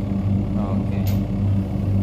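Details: Twin-tub washing machine spin-dryer motor, tested after repair for a complaint that it would not spin; its resistance had been found very low. Steady low hum with an even pulsing drum rhythm and no rubbing or knocking; spin motor turning smoothly.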